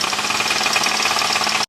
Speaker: Tiếng bộ tăng áp turbo, tiếng van nhiệt điện tử, tiếng ổ trục.